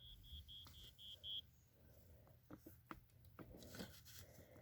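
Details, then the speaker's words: 1987 Wake And Warn smoke detector with a rusted battery compartment, sounded by holding the battery and pressing the test button. A row of thin high beeps, about five a second, very faint: weak sounder, rust suspected as the cause. "okay well it's pretty cool that both of them work although this one here is really rusted makes a very faint sound but we know this one here works works so pretty cool"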